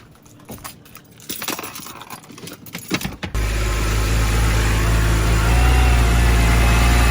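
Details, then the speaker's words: BMW 128i restarted while checking for a new fluid leak: keys rattle, engine catches into a lumpy idle with an uneven beat near four per second; misfire, owner feared something broke. "This [ __ ] sound like a fivecylinder rotary. Bro, I thought I I thought I broke something off in there."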